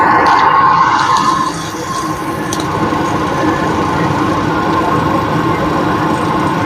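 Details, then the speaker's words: Old GMC Envoy on a hoist in four-wheel drive, running in high gear: worn front wheel bearing heard via pry bar against the knuckle, a steady rough drone with gritty rumbling growl. "so put it there and I can hear a real good growly noise"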